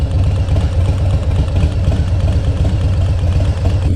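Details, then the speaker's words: 2019 Harley-Davidson Softail Street Bob after dealer install of Screaming Eagle torque cam with tuner: lumpy V-twin idle with loud sewing-machine-like valvetrain tapping about four per second. Dealer said it should settle once warmed up; cause unconfirmed. "I noticed that there's a little more engine noise coming from the valvetrain sounds like a loud tapping like a sewing machine"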